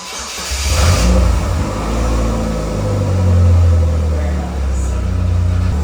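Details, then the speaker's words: Slingshot, fresh from a spark plug change: engine cranks, catches cleanly and settles into a steady deep idle with light blips; normal start and idle. "All right, we'll see if this thing fires up."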